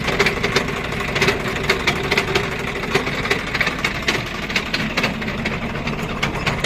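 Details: Swaraj 744 FE diesel tractor with rotavator engaged in gear after a stone jammed the rotavator: uneven rattling tick about twice a second from the gearbox; gearbox to be opened to inspect the 540 PTO drive.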